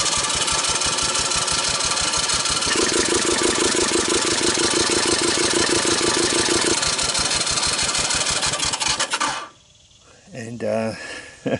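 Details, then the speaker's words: 1984 Honda ATC200ES after spark plug thread insert repair and loosened valve lash, dry compression test: fast even cranking with weak puffs, no firing; compression under 30 psi, low. "we didn't even make 30 so that's dry"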